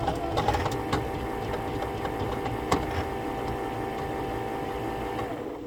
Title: Rotimatic NEXT making loud noise